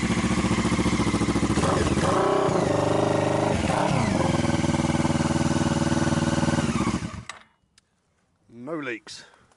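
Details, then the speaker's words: Motorbike with engine case sealed with silicone sealant instead of gasket, just refitted, rainy day: crisp even exhaust beat at idle for several seconds, no rattles or misfires, then shut off; no leaks, engine healthy. "no engine problems, no nothing, just a case that fits and works."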